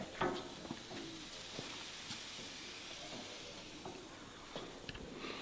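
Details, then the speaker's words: Long-abandoned BMW, engine off after running with no cabin heat (thermostat suspected): soft, steady hiss with faint bubbling as pressurised coolant vents; overheating suspected, not confirmed. "I want to find out if there's actually pressure. Oh my god. Oh my god. Yeah, there's definitely pressure in that. You can hear it."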